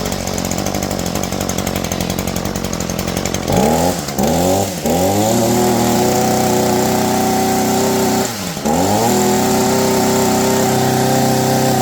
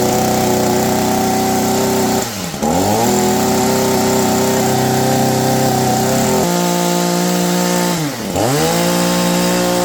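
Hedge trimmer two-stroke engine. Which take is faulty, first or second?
first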